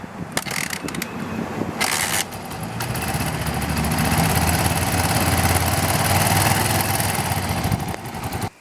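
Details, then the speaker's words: Single-cylinder dirt bike just started cold: idle lopes and wavers with an uneven beat; owner says it idles higher when warm and runs differently at different temperatures, suspects oil type; unstable cold idle, cause unknown. "It'll be warmed up and it'll it'll idle higher than that it like runs different at different temperatures"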